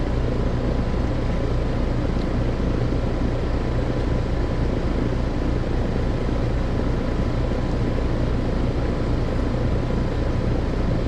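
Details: Heat pump outdoor unit, fan disconnected, defrost cycling okay; compressor draws about 10.3 A (11.5 A total). Loud rough low drone and steady hum. Rough-sounding compressor is the loud noise, judged about to fail and needing replacement.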